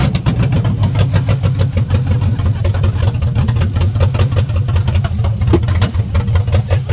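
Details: Coyote-swapped Fox body Mustang, just fired for the first time: steady, even V8 burble with a lumpy low pulse and no knocks or ticks. Oil pressure about 70 psi, fuel pressure reading too high. Sounds healthy.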